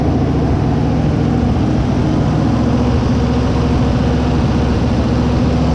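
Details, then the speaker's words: 1956 Ford Fairlane garage find, first start in 35 years after carburetor rebuild: steady, even V8 idle with smooth low rumble, no knocks or misses; sounds healthy. "sounds good"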